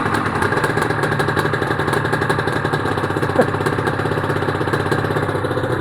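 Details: Honda NSR250R-SP MC18 250cc two-stroke grey import on JHA expansion pipes, start of a restoration project, power valve servo turning: crisp, even burble with rapid regular pulses and no misses or rattles. Normal idle.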